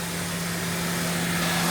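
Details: 2014 Honda Odyssey with 202,000 miles, just after water pump and timing belt replacement. A steady, even idle hum with a smooth low drone and no knocks or ticks: a normal, healthy idle.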